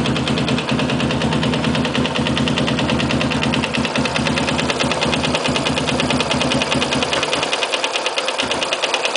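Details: Yamaha Sniper motorcycle single-cylinder at idle: a sharp, fairly regular knock about three times a second over the exhaust beat; cause unknown.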